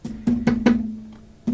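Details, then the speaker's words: 1966 Fender Deluxe Reverb combo cabinet: each tap sets off a buzzy ringing rattle lingering after the knock; rattle is not the reverb tank, speaker mounting suspected at first, later traced to loose logo emblem chattering against a screw. "The last thing that I need to address with this amplifier is that the cabinet has some sort of a rattle and it's not the reverb tank."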